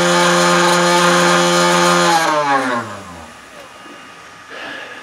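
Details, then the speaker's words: 3018 CNC spindle running with a loud buzzing hum and harsh metallic edge, then spinning down; the rattle is traced to vibrating Z-axis linear rods, which go quieter when pressed, and it causes endmill chatter on aluminum cuts. "so i kind of narrowed it down to what it seemed like these linear rods here the z-axis linear rods so what's weird is when i push on them uh it actually makes it quieter"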